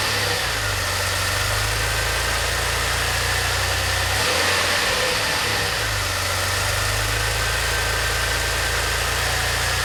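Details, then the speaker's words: DeLorean (manual) warm idle a few minutes after start, following fuel, lambda and idle system work: steady even low hum with slight hiss, no misses; healthy warm idle. "That sounds pretty good. A few minutes later."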